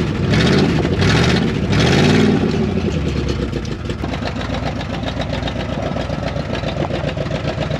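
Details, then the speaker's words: 1974 Dodge W100 Power Wagon V8, parked 41 years, first restart with leaky pinched exhaust: a few revs then steady, even idle with no knocks or major ticks, good coolant flow; normal idle. "the engine sounds super healthy no knocking really no major ticks or anything pretty smooth as far as Idle goes"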